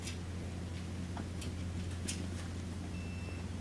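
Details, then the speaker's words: Whirlpool gas dryer that would not start: a single short high beep over a low hum as the new thermal fuse is continuity tested; it passes, and the old fuse likely overheated from a blocked duct. "Yeah, so we can hear it beep, so we know current goes through there. That'll fix the problem."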